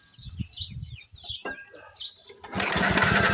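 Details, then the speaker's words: 1940s Frazer B1-7 rototiller, unrun for years in a shed, fires on carburetor starting spray with rapid rough pops, then runs on its own; fuel filter missing from line, tank not yet fueled. "all right we got a runner we got a runner"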